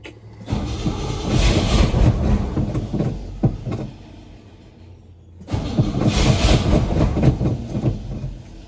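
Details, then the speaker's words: Old Chevy/GMC K10 sitting for years with 10-year-old gas: two long cranking bursts, about four turns a second, never catches; crank no start, fuel pump possibly not picking up fuel, bad fuel suspected. "And they won't pick up fuel yet. Or it's really bad fuel. Probably bad fuel."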